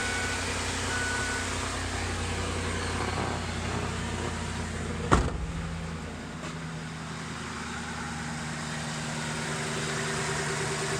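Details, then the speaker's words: 2007 Ford E250 van, 4.6L V8, automatic, 122,536 km, seized A/C pump, belt removed, idle rough when bought after about a year unused: quiet, even idle with a steady low hum; runs smooth and healthy. "Runs pretty good, nice and quiet. It actually runs better."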